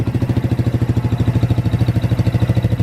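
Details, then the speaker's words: Motorbike-engined off-road buggy, SYM engine of unknown size (owner assumes 125 or 250cc), 5-speed manual, strong compression: steady, even idle, about ten firing pulses a second, no misses; healthy, still warming up. "crank it up there on one's brilliant takes over nice still just needs warming up usually a little bit that's all"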